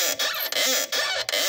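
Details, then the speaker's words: Yamaha Raptor 660R ATV with a Lexx exhaust, rear end pumped by hand: rhythmic rising-and-falling squeak about every 0.4 seconds. Owner believes the rear shock's top bearings need grease. "I hear that noise so I know I need some more grease in my shock up here in my bearings"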